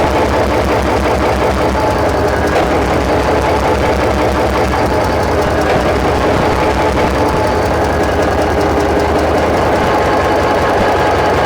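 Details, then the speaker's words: SD45-2 locomotive diesel started outdoors after stuck injector repairs, troubled injectors left disconnected: heavy idle with lumpy uneven knock about two to three beats a second. "I have not connected up any of the injectors that we had trouble with. So what I'm going to do is I'll let it run, and then I'll walk through and pop each injector by pulling back on the linkage. And it'll be kind of noisy, so we'll see."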